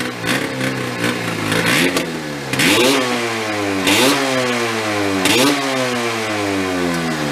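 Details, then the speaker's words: Yamaha 440 snowmobile two-stroke engine in homemade golf cart, long sitting: burbles at idle, each throttle blip stumbles and falls back; won't rev with choke off, seems okay on choke. "it's like an idle it's a joke off it doesn't want to rev up yeah so I'm gonna try to Baby the throttle"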